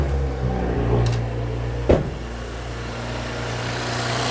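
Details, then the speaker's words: 2018–2025 Audi B9 S5 3.0 EA839 after PCV valve (crankcase breather) replacement, engine cover and heat shield off: steady, even idle with smooth low hum, no whistle or hiss, breather no longer sucking vacuum; normal idle. "Now that we have the car running again, you can see there's no change to the sound of the car. There's no whistling."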